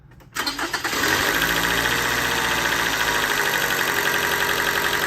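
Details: Car cranks briefly, catches and idles in gear with a fast, loose metallic rattle over the idle, the timing chain rattling; sometimes it runs and sometimes it dies.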